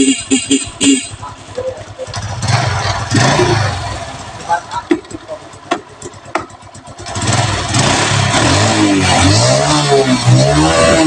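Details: Carbureted Honda Revo Absolute that died while riding with total ignition and electrical loss; spark was then found present. A few cranking attempts, then the single-cylinder catches and revs cleanly up and down: starts and runs properly.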